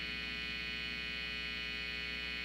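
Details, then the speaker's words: Telecaster through a Pyle Classic BT amp at master volume 4: steady buzzing hum with bright hiss from the ungrounded bridge; touching the bridge, tone or volume knob mostly stops it; planned fix is a ground wire from bridge to the pot. "so if you listen to it you hear the hissing and if I touch the bridge and I touch the tone that hissing or if I touch the the volume that hissing pretty much goes away"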